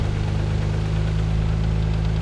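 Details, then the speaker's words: Mazda KL-DE 2.5 V6 swap, warming up in diagnostic mode, idle screw turned a quarter turn per minute, around 1,000 rpm: steady low note with slight rise and fall; idle hunting while computer relearns. "no difference but we hear the idol hunting around a bit much"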